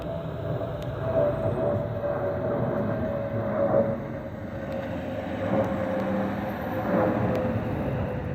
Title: Delta Airlines Airbus A320-212 N349NW DL2787 DEN-DTW (FOPP Whistling Sound)